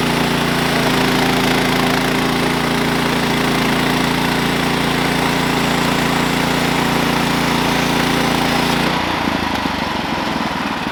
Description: while milling I noticed my blade was stopping during the cut. The end result was the clutch was worn out and so was the drive belt.